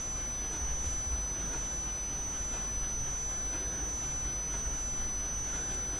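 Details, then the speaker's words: Thin constant high whistle at unchanging pitch in a quiet room during a wax-seal craft session; the speaker wonders whether her TV is the source; high-pitched whine. "Je sais pas si dans le son vous entendez une espèce de sifflement. Moi je me demande si c'est pas ma télé qui siffle comme ça."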